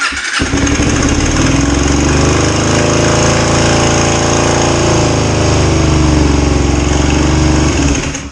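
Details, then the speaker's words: 2005 Kawasaki Ninja 250 twin after engine reinstall and retiming (first timed about 10° off): revs climb and fall on their own without throttle input; high idle from too much throttle-cable tension, dropping when yanked back; needs adjustment. "Okay. The reason it's revving up, Matt, just so you know, is there's too much tension somewhere in the throttle cable system. I literally yanked it back and it started to come back down. So there's just adjustment needed."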